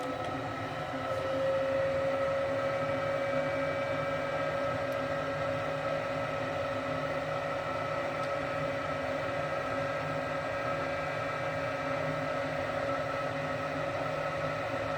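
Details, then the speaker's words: Gas furnace during a tune-up: the inducer spins up to a smooth, even hum with no rattle; the pressure switch closes and the hot surface igniter lights, a normal startup. "Okay, so I heard the pressure switch is closed. HSI is lighting up."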